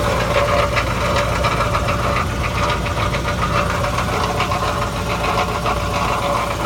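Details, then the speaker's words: 1991 Cadillac Eldorado with 80k miles at idle, engine running smooth: loose, jingling metallic rattle from the catalytic converter, like marbles inside. The cause is not confirmed. "Here's the catalytic converter. Sounds like it's got a bunch of marbles in it."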